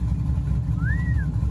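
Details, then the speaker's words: Vehicle with a rebuilt rear end that whined from day one, after repair, back on the ground following one drive around the block in freezing weather. Low, even engine rumble with no whine on top; normal differential. "well i'm a little behind on videoing but bam she's on the ground baby and she sounds healthy drove it around the block one time"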